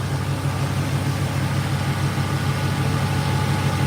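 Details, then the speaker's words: 1986 Chevrolet Silverado with a new aluminum radiator, at idle: steady airy rush over a smooth idle with no rattles; both electric cooling fans and the oil cooler are working normally. "So, fan one, fan two come on, and the oil cooler's on. So, all that's working."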